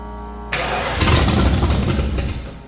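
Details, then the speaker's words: 1989 Ford Fox Body carbureted V8 race car, start attempt after a couple of throttle pumps with timing set: cranks, catches and roars briefly, then sags away within two seconds; fires but seems fuel-starved, owner suspects a fuel issue. "it still seems like a fuel issue we're getting actual fire over it just sounds like it doesn't have enough fuel"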